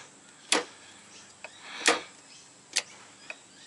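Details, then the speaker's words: Ford BA Falcon automatic, selector moved by hand from under the car after upper shifter linkage found detached: sharp single clunks about every second with lighter clicks, hard to get in and out of park; probable parking pawl failure, unconfirmed. "sounds clunky in the Box too just listen to that sound which is the Santa Hood the other night a couple weeks ago when I first got under here sounds loud but it's only going in a park"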